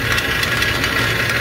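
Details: Walk-in cooler condensing-unit compressor found during preventive maintenance, still holding temperature: loose rattling knock like pumping rocks, pointing to broken internals; compressor needs replacing.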